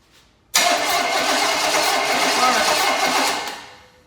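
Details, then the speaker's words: Small block Chevy engine of unknown status, spark confirmed with tester: starter cranks about three seconds with hissy whirring churn, never catches; no fuel reaching it. "Got spark. All we need is fuel now."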